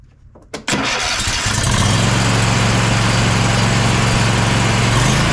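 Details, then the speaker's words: Bad Boy zero-turn mower, Kohler 7000 KT745 engine after ignition coil replacement: quick start then smooth, even running with a steady low drone; ran normally about half an hour with the blade engaged. "we're going to put this back after running it for about half an hour everything worked perfect blade still engaged"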